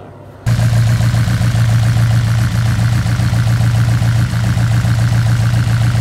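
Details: Honda Integra DC5 Type R at idle: a lumpy, uneven beat as if running on three cylinders; a misfire persisting after swapping spark plugs, coil packs and injectors between cylinders, cause not found.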